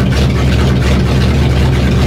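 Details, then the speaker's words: 1960 Chevrolet Impala before new exhaust, at start-up: loud steady low idle rumble with coarse flappy throb from a loose, sloppy tired exhaust rather than engine trouble. "but I'll let me show you how it sounds sounds like know sloppy it sounds sloppy is what it sounds like"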